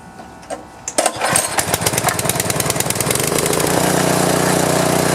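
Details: Hard-starting power washer reassembled with governor spring and linkage, fuel of unknown age, choke and fuel on, air filter off: a few pulls and clattery catches, then it fires and runs steady and even; normal start and run.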